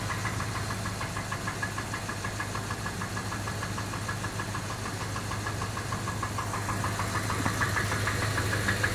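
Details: Jeep Grand Cherokee engine at steady idle: sharp, regular knock about three times a second riding over the engine; engine knock, cause not pinned down.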